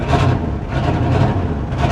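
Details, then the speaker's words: 1967 Ford F100 at auction, manual steering and brakes, added air conditioning: heavy low idle that surges and sags with a ragged, uneven exhaust beat, running but not well; rough idle, cause unclear. "the exhaust sounds like crap definitely not running topnotch but it's running it's running"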